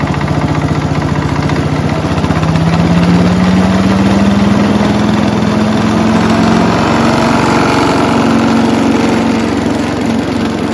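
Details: Mighty Mac wood chipper/leaf shredder, free non-running unit, small engine restarted after replacing the rusty seized choke flap, speeds up with a rising drone and heavy shaky pulsing; violent vibration, out-of-balance rotor suspected, not confirmed.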